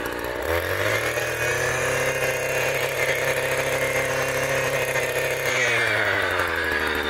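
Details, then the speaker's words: Echo GT200R string trimmer two-stroke just restrung, on new VP Racing fuel after slow start: revs up to a steady high buzz, holds even with no misses or surging, then eases off; healthy running, strings stayed in. "and that was a success that is the first time the strings actually never shot out i am quite happy this thing is a trooper runs great it did take a bit to fire up"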